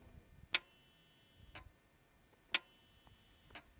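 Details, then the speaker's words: 2014 Kia Cerato, no-start after overheating, intake oil control valve (VVT solenoid) running after cleaning: crisp sharp clicks about once a second, alternating strong and lighter as it opens and closes; normal solenoid operation. "اسمع صوته تفتح وتقفل. شوفوا الاكسوست تشغيل."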